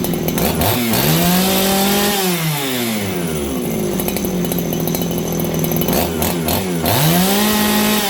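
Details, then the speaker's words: Farmertec 288 kitsaw (aftermarket) on its aftermarket carb, high jet 2 full turns out: at full throttle pitch sags and wobbles with burbling, uneven note; four-stroking heavily, running rich; OEM carb to be tried. "Okay, well, you guys heard it there. It's 4-stroking heavily."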